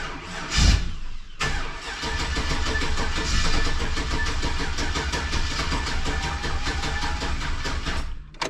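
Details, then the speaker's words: Cranking without starting on the turbo GMC truck after fuel system rework: starter churns steadily about seven seconds without catching, air in the fuel system; fuel pressure 54. "all right let's give this another shot you clear fired we got a bunch of air in the fuel system"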